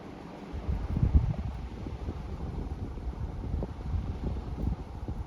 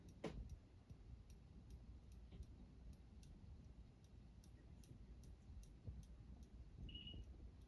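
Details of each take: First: Older Saga Crown Colony four-wood-blade ceiling fan on high speed, no reverse option, wobbles on all speeds: steady low whoosh of moving air, no ticking, scraping or rattle; runs fast and healthy. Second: Saga Crown Colony ceiling fan on medium speed: quiet room with light regular ticks about three per second from the pull chain tapping the housing, slight possible bearing noise, some wobble.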